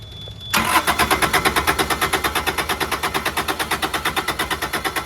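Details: Carrier Supra 850 reefer with Kubota D722 diesel on a Volvo VNL780, unstarted for weeks, fuel lines just refitted loosely: steady even starter cranking about three compressions a second, never catching; air still in the injection lines stops it firing.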